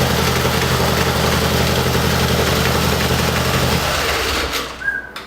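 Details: Harley-Davidson Dyna V-twin after starter/compensator noise repair: steady, even rumbling idle with no clatter or grinding, then clean shutdown; sounds healthy.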